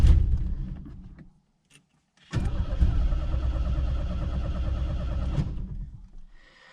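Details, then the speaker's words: Turbo Chevrolet Chevette, first cold morning start after fuel injected into the intake: starter churns about three seconds with a rapid uneven beat, nearly catches, then dies; cranks but won't start. "Agora eu vou ligar. Ó, quase que pegou, hein? Mais um pouquinho."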